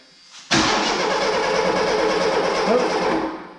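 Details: 1983 Mustang GLX convertible after new fuel pump installed and fuel line primed; starter cranks steadily about three seconds, engine never catches, cranking fades. Cause suspected, not confirmed.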